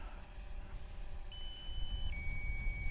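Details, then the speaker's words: DJI Phantom 4 returning to land: the controller's clear, high electronic beeps step down in pitch over wind and rotor noise, a low-battery warning set to trigger at 40 percent. "now that that beeping that you can hear is because I've set it at 40 percent so what it's it's warning me that the battery's low but it's all right"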